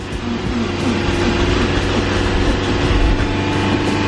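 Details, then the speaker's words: Nissan S14 cranked after sitting two years: engine churns with a rising, uneven roar but won't settle into idle; owner suspects the fuel pump as he doesn't hear it click on. "So, I think this thing is going to start, but we're going to go ahead and add some starting fluid in here because I believe it has to do something with the fuel pump cuz I don't really hear it clicking on."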